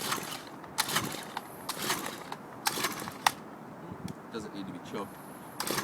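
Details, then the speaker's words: Stihl HL-100 two-stroke, hot engine: five or six rasping cord pulls with the start-stop switch on, never catches; hard starting, normally easier, owner says heat makes it choke up. "Normally it's a little easier to start up. It's hot, so it kind of chokes up."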